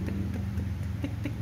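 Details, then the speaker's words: 2012 Kawasaki Ninja 250 carburetor SE, 2,000 km, just started cold: steady twin idle with light even tick about four or five times a second, normal characteristic sound that fades once warm, not cam chain or knock. "Nah itu itu emang umumnya Ninja 250 karbu ya teman-teman ya jadi itu bukan suara keteng atau bukan suara tonjokan ketang itu bukan itu emang suaranya khasnya dia ada suara gitu kalau belum panas kalau baru hidupin"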